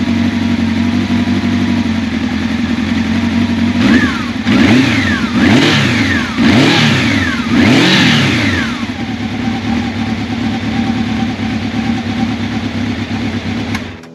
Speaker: The motor runs smoothly. It starts right up.